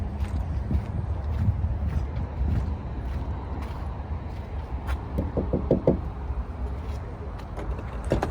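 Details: Renault tractor-unit truck diesel with a loudly knocking fuel injector: heavy diesel rumble with sharp, uneven metallic knocks cutting through.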